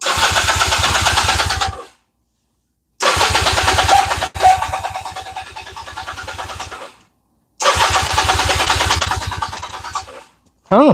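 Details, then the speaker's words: Honda Rebel 250 with fuel delivery problems, full choke: fires and runs roughly for two or three seconds then dies, repeatedly, on the reserve setting, yet starts fine on the main fuel-on setting; suspected fuel starvation. "All right. She fired right up on just uh fuel on. It don't want to do it on reserve."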